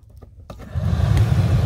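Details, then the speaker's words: 2004 Hummer H2 blower motor runs stuck at full blast with no control from the dash switch; the blower controller/regulator is shorted, likely after the original fan locked up and popped the fuse; steady full-speed roar with no step-down. "hear that there it's full blast there's no controlling of it on the dash and that's telling me that this controller right here is shorted out also"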